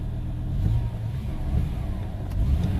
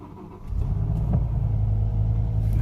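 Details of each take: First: 2005 BMW M5 with the S85 engine, after water causing the misfire was removed: it revs up and settles cleanly with an even, steady note and no stumbles or popping. Runs smoothly with no misfire; a gasket is suspected if the water returns. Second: 2005 BMW M5 S85 running: deep rumble with uneven lumpy beat, really bad misfire and rough running; engine light shows reduced power and the ECU cuts injection to cylinder five.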